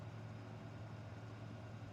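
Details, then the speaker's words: Vintage 1970s Eskimo 20124 electric fan: loud, steady low electrical buzz over an otherwise smooth run, reportedly worse than before; motor winding buzz. "it's really loud a buzz I actually say it's gotten worse since I've understood there is no startup Zone besides the buzz there's really no humming"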